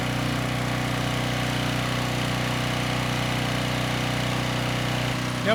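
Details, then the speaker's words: 5000 W Husky generator with a 9 hp Briggs & Stratton engine, revived after seizing: steady, even engine drone with no knocks or surging; no load about 61.5 Hz, 122–123 V, choke off right away. "issues getting the machine started it sounds good was able to turn the choke off right away and the no load speeds pretty good at around 61 1/2 Hertz"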